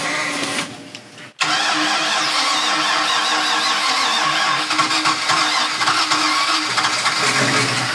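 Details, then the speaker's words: 2000 Mariah boat 7.4 L 454 MPI MerCruiser V8 after hydrolock, new spark plugs fitted, water pumped out: brief sputter, then catches and runs steady and even, no misfire; engine running again. "So now that the engine is running, we're going to head up to the lake and we're going to put some miles on this thing."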